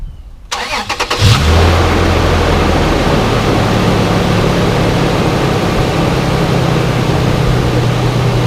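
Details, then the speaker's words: 2006 Toyota 4Runner (4th gen) after a spark plug change: quick start and smooth, even idle with no misfires or knocking; runs healthy. "Well, so far everything sounds all right. I don't hear any engine knocking or misfires, so that tells me we did everything right."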